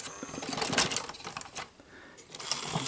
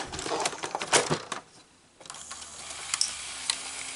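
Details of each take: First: Sony SL-S600 Super Beta VCR before repair: the motor whirs and clicks as the tape threads, then stops short of completing the loading cycle and ejects because no power is detected going to the head drum motor. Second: Sony SL-S600 Super Beta VCR loading a cassette: bursts of light clicks and clatter with short motor whirs as the tape threads, then it settles. Loading is normal, but the capstan motor is dead.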